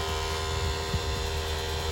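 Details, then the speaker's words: Infiniti G35 with engine off and hot after braking, ABS, VDC off and slip lights on: constant low electrical hum with a faint throb; owner suspects a failing brake proportioning valve. "every time I barely step on my brakes this frickin ABS and freakin VDC off and slip light comes on and it makes this frickin noise and I don't know why and my car is hot my car is off but it's still making this noise I do not understand"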